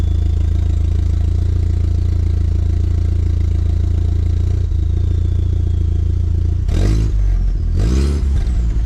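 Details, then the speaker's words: MK4 VW GTI 1.8T about a week after exhaust rebuild, muffler baffles possibly failing: loud raspy idle with low drone, then two blips that puff and rattle; exhaust leak near turbo, owner suspects downpipe gasket, hopes not manifold. "it's got an exhaust leak uh up toward the turbo hoping it's not an exhaust manifold i think it's just a downpipe gasket that goes bad in this thing every once in a while"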